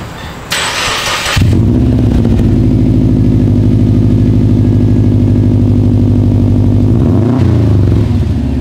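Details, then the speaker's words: 2013 Subaru WRX after installing Invidia catted downpipe with cold air intake and stage 2 tune: short crank, catches cleanly, steady even idle rumble; not much louder, slightly different tone; normal cold start and idle. "guys the car sounds great um it has it has a it's not much louder it just has a little bit different tone to it but I I like it I like it a lot"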